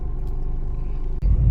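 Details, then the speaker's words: Suzuki Swift with AC on, after repair of AC-on droning hum and vibration: steady even low engine rumble, no droning hum; AC quiet and colder, compressor flagged as possible future concern. "Suaranya hilang. Enggak ada terdengaran bunyi ni."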